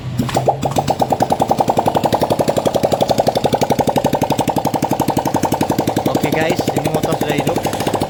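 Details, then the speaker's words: Yamaha Mio M3 scooter after valve repair restored compression (was dead, very light kick-start from dirty leaking valves): even steady putter about four beats a second, no misses or knocks; normal idle. "untuk mesinnya sudah normal sudah hidup jadi permasalahan dari motor ini dia mati total starter kakinya itu sangat ringan itu terjadi bocor kompresi akibat klep yang sudah kotor teman-teman"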